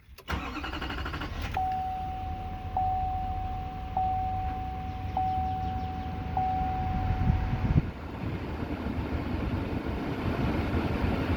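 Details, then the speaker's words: Duramax diesel after fuel filter change, primed by key cycling until the pump stops: several short high beeps, then cranks, catches and settles into a steady, even diesel idle; normal start and idle. "Basically want to let it go until you don't hear the fuel pump anymore."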